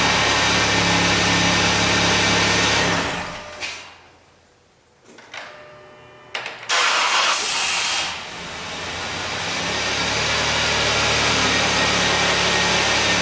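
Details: 2008 Dodge Grand Caravan, high mileage, with the 3.8 L engine just replaced (the old one had a P0303 misfire and burned coolant), first start with no coolant yet. It cranks briefly, catches cleanly and settles into an even idle with no knocks or misses.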